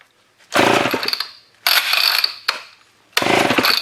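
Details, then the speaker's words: Old Homelite chainsaw left in a scrap pile for over a year, on carb spray with a sticky recoil: three rough pull rasps that fade with no catch. It turns over but won't fire. Cranks but will not start. "recoil is a bit sticky oh there we go well I don't think she's going to run off carbs"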